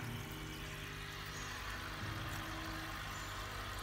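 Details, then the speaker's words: Aquarium oxygen air pump after noise-reduction muffling: soft steady low hum with only a faint slight vibration, running quietly and evenly. "Ê mày có nghe thấy nó giảm tiếng ồn rõ rệt không ở gần như là không có cái buồn nữa để làm rõ rệt luôn Anh chỉ còn một cái tiếng rung nhẹ thôi chỉ biết đến nó cũng nhẹ đấy à"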